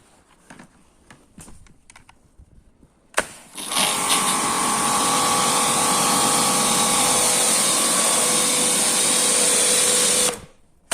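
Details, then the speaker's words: Karcher K 5.20 pressure washer that previously hummed but would not start, after its failed capacitor was replaced: starts with a thump and runs with a steady high whine, restarting cleanly. It now works properly. "Как хорошо работает аппарат класс замечательно"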